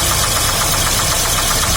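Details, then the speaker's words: 2006 Daewoo Sens (Lanos base model), starts on petrol then switches to gas (LPG), hood open at idle: sharp regular knocking over steady idle, keeping time with engine speed; source unconfirmed, some say bushing, others crankshaft, owner suspects head or valves. "Одні кажуть втулка, другі кажуть коленвал."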